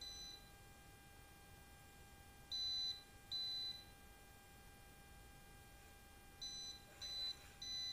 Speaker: Hai sampai di sini kita masih mendapatkan arus ya